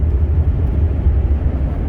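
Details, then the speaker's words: 2005 Dodge Ram 1500 crew cab 4.7, which wouldn't rev over 2000 rpm for 7 years and 70,000 miles, on road test after repair: deep steady rumble pulling evenly under load, no misses or stumbles; accelerates normally now. "She accelerates normally now. Oh, awesome."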